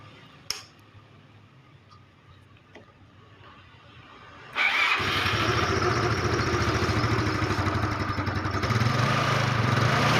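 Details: Carbureted Yamaha Mio scooter after its starter relay was replaced, the fault traced to the relay: short crank, then it catches cleanly and settles into a steady, even run. Normal electric start.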